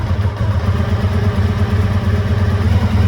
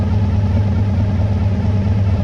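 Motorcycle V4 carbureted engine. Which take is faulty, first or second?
first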